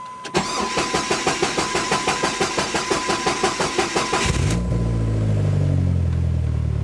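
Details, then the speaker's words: 500hp turbo Dodge Neon SRT-4, built engine, after reassembly: starter churns about three times a second for four seconds before firing; long crank caused by cam sensor lacking its magnet, so no cam sensor reading. "going to seem silly but there's no magnet inside of it and I was wondering why the hell I couldn't get a cam sensor reading"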